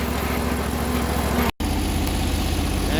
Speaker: you guys can hear the transmission it's already pretty whiny so it's on its way out so I'm not too worried about it